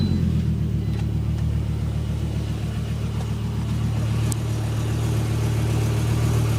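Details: Volvo S70 cold start: uneven, stumbling idle with low rumble dropping out like a cylinder missing; solved by a full tune-up, exact cause unknown.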